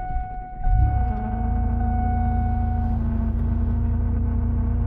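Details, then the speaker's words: Car cold-started at 6 a.m. in freezing Alaska with ice around: after a rough crank the engine settles into a low rumble with a steady whine over the idle. Owner thinks the whine is the power steering and no bearing is spun. "doesn't sound good. I'm pretty sure that sound is just my power steering, though."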